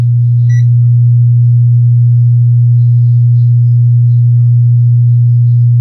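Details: Wordstar WBL 160 Plus active speaker: loud, steady low hum with no pulsing comes straight from the speaker; one amplifier output IC heats rapidly, and the finding is a shorted output IC.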